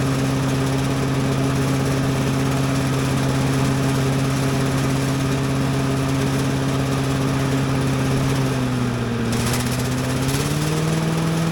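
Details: Little Wonder blower with Briggs & Stratton single-cylinder engine, started on choke with a little throttle: steady buzzing drone that sags briefly then picks back up, slight shaking but not bad. Normal running.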